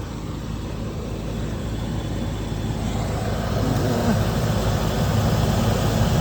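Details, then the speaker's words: 1996 Land Rover Discovery 1 V8, base spec with factory 5-speed manual, just delivered by tow: deep, even V8 burble at steady idle, no knocks, misses or rattles; runs smooth, no visible leaks, oil and coolant present; normal idle. "Sounds like it runs great. Pretty smooth, no visible leaks."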